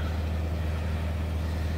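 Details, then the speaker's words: Refurbished EasyFire EPI EF3801 12 V DC electric-start pellet stove during start-up, smoke building in the firebox: the pellet auger motor gives a steady low hum, even and constant, with no grinding or knocking. "We got smoking. That noise is the auger motor for the pellets."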